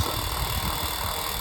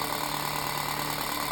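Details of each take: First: Unbranded 7-inch desk fan, repaired and taped, bearings just oiled to stop rattling: steady, even, loud whir with a smooth high hiss and no scraping or ticking; runs fast and freely. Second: Unbranded antique 7-inch desk fan, found awful when first plugged in; loud constant motor hum with faint pulsing wobble about three per second, loudest thing in room, speed varies fast and slow; unbalanced blades and shaft play.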